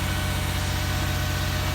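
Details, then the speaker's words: 2006 Toyota Sienna 3.3L V6 at idle right after a DIY replacement; it previously would not start and now the starter works. Steady, even idle with smooth low pulses and no knocks or misses. Normal idle. "well the starter works doesn't it not worked before"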